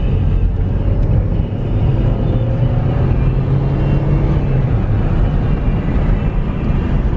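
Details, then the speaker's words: Project Saab on its first drive after sitting six months, in 113°F Phoenix heat and probably heat-soaked. A strong, even pull under part throttle with a smooth engine note and no stumbles. It is not misfiring and is making good boost. "definitely probably already heaps soaked given the temperature but it's definitely it's not misfiring and it's making you know good amount of boost that wasn't full throttle"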